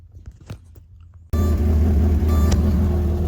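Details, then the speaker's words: 2006 Porsche Cayenne (1st gen) after rain caused a water leak, no-start, faulty ignition-lock warning and a brake light preventing shifting out of park; with the brown wire reconnected, the engine catches at once and idles steady and even: healthy start. "stuck the key in touched the brake pedal with my foot and boom started up no problem so the brown wire is the issue"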